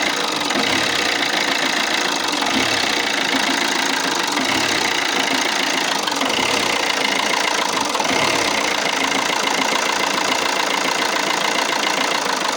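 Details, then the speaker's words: Alfa Romeo Giulietta 1.6 MultiJet2 diesel: uneven, lumpy idle with irregular knocks and rattle over the diesel clatter. Rough idle. "Today we have here a Alfa Romeo Giulietta with a 1.6 MultiJet engine, and the idle is, well, it's really bad."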